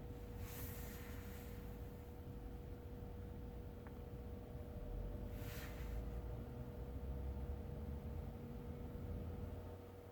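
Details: Brand new 2021 Tesla Model 3 with replaced heat pump, 300 km, at -10°C outside: steady low droning hum with a constant mid tone inside the cabin; owner asks whether this heat pump noise is normal.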